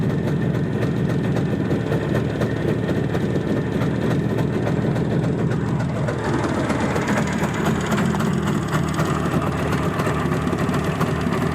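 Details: Izh Jupiter-5 two-stroke with balanced crankshaft, heard now after earlier metallic ringing blamed on piston geometry; smooth, even burble picking up cleanly with throttle, no metallic ringing; normal idle.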